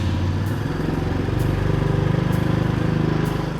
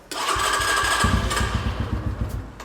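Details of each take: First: MotoTec X5 250cc dirt bike (K5223 model) after idle screw adjustment: the small single revs cleanly twice from a steady idle with crisp throttle and no misfire. It runs well with good power; clutch and throttle needed some adjustment. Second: MotoTec X5 250cc dirt bike bought at Walmart (K5223, the lowest-spec model per VIN), freshly filled with oil, on its first fuel-up test: the engine catches and revs, then stumbles and wanders toward idle. It won't idle right until the idle screw is adjusted.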